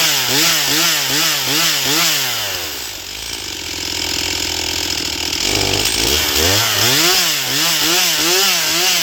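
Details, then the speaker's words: Stihl MS241 C chainsaw with computer-controlled carb, after Seafoam and air filter refit: revs crisply up and down, then holds a clean strong full-throttle scream; normal high-speed running, though getting it started remains the problem. "But uh at least now it will cut. And it runs seems to run. It runs great on the high side. It's just getting it running that is the problem."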